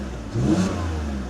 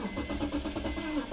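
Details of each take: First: BMW E46 mechanic special with dash lights, reported thermostat fault and misfire: quick throttle blip climbs and falls evenly with no stumble or popping; engine revs smoothly, no audible misfire. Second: BMW E46 mechanic special, first start after work including a thermostat, coolant not yet topped off: cranks, catches and idles unevenly with shaky stumbling beat and chime; check engine light on, owner suspects something left disconnected.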